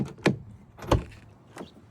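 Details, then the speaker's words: 2014 Dodge Charger Pursuit (ex-police, 30,000-mile engine): door lock actuator thunks three times unevenly, unlocking but failing to complete the lock stroke; owner suspects a broken-off plastic piece, door locks manually, actuator to be replaced. "it'll shoot the lock up when you unlock it, but it will not lock the door, likely because this plastic piece right here has broken off entirely."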